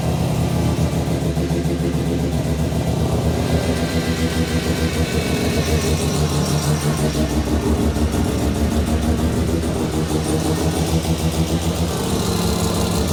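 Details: New Mazda 13B bridgeport rotary's first start: fires and settles into a rough, choppy brap-brap idle with some blips, no misses or odd knocks; normal idle.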